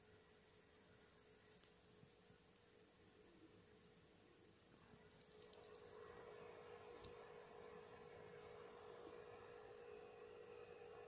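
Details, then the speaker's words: PS4 Pro running Mafia 3, phone microphone right against the console: faint steady fan hum with light whoosh and button clicks, barely audible from standing position, same noise level as during loading. "but where I'm standing right now, where my head is, I can hardly hear it get me."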